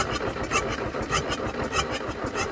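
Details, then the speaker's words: Toyota Stout pickup (1964-1967) with a 3R four-cylinder engine, abandoned since 1984, no original carburetor, fuel dumped in the bowl: slow rhythmic turnover that never catches; engine flooded, plugs fuel-soaked. "They got a lot of feel on them. That's not going to help it run. I said we flooded this thing several times now."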